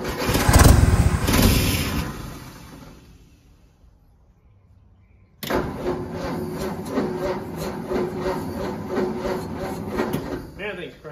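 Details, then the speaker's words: 1952 Ford F1, 215 OHV inline six on six-volt system, long-stored: unhurried cranking, a pause, then an even chug about three and a half beats a second; slow cranking is normal for six volt. "slow that's how it runs six-fold man they don't they're not very fast at all"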